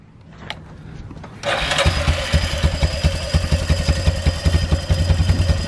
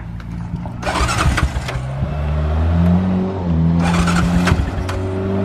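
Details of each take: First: Rhino engine catches after a couple of tries and settles into an uneven, lumpy low thump with an extra noise of unconfirmed source; owner says it still runs and drives fine. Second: Side-by-side (Rhino) with its cage still unfinished, started up: cranks, catches and settles into a steady running note, then picks up cleanly when revved; it runs properly.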